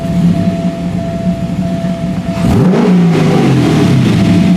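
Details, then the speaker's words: Porsche 944 with V8 swap, started after sitting to charge the battery: quick blip climbs sharply and drops straight back to settled idle; crisp, normal throttle response. "wow that still has pretty wicked throttle response that always surprises the hell out of me from the way it ran before but it is just you touch the throttle it goes"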